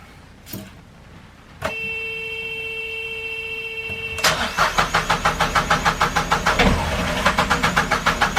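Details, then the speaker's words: Narrowboat diesel after owner's first service with new oil, air and fuel filters: steady electric hum, then even cranking about three beats a second that never fires; fuel system needed bleeding. "well it's two days later you would have seen that I had a problem starting the engine I just couldn't get it too far up I realized that the system needed to be bled"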